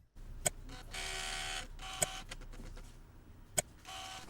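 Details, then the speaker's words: Canon M50 camera: rough buzzing bursts between three sharp clicks, an abnormal sound that makes the camera shut off, traced to a faulty shutter motor mechanism. "Bunyi aneh ini yang menyebabkan kamera mati pada Canon M50."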